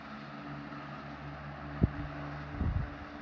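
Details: Late-1910s/early-1920s Marelli Bisa 12-inch oscillating table fan on low: soft, steady low hum with a couple of light bumps and no rattle or scrape; normal running.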